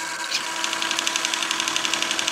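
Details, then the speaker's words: Hitec 7950TH servo on an RC model, also on a second servo: fast, even ticking buzz about ten times a second over a steady hum, hunting and jittering instead of holding position anywhere in travel, holds better under load, solid when disconnected; servo jitter. "um it's not as bad and it it seems to hold better if I put some load on it but still if you touch it it all then it goes off if you move it at all"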